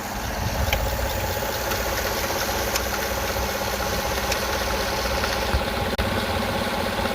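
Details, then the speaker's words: Gen 5 LT V8 idling with a faint irregular tapping and a brief stumble, engine felt jerking; absent at higher RPM; idle knock, owner suspects timing chain or tensioner, unconfirmed. "When you hear that noise, I can physically feel the engine jerking. My guess it could be the timing chain or the tensioner. It does not do it at higher RPM."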